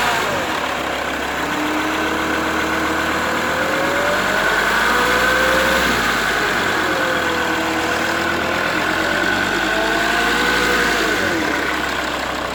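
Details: Mercedes W211 E270 CDI diesel that hums from 1000 to 2000 rpm with or without the belt. It starts well cold with no knocking, and a replaced oil pump didn't help. The hum goes away if the front is raised 5-10 degrees, and the source is unknown.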